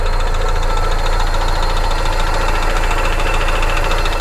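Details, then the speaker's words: Flood-history auction car idling at the lot: steady idle carrying an uneven, fast rattle of about four per second from the front of the engine. Suspected stuck or bad pulley, front pulley bearings or internal engine issue; hard to isolate, unconfirmed. "I almost wonder something is stuck in one of the pulleys or if it's got a bad pulley it sounds like an engine issue but it could just as easily be bearings going out in one of these front pulleys over here really difficult to isolate"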